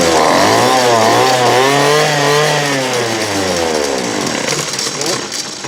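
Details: 2008 Poulan Pro PP25E 25cc straight-shaft trimmer, abused, with misrouted fuel lines and a clogged carb screen, running again: buzzy two-stroke note sweeping up and down with throttle, catching and holding revs; smoking off garbage, still needs carb adjustment.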